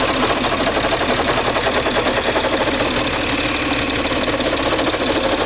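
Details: Peugeot 607 2.7 HDi diesel at idle: steady clatter with a coarse, gritty rasp riding over it, grinding from somewhere in the engine bay, source not pinned down.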